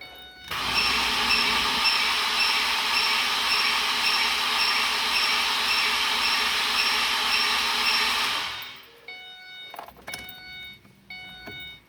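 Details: Car that won't start, accelerator floored during the test: long steady starter cranking with a slightly uneven beat, about two pulses a second, never catches; starter current readings of about 15–17 A and 32 A, indicating low compression on some cylinders.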